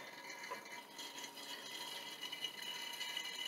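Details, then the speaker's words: Scag 36" walk-behind mower, Kawasaki FS481V, 10-hour oil change by extractor: thin, hissy, gurgling rattle with no low end as the extractor slurps air; crankcase essentially drained. "you hear it slurping i'd say she's pretty empty there"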